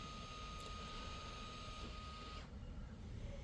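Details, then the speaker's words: 2020 Kia Telluride electric parking brake retracted via Otofix scan tool brake pad change mode; thin steady motor whir for about two and a half seconds, then clean stop. Normal parking brake release. "This is what, 7 different scan tools that was able to retract the parking brake on this Kia."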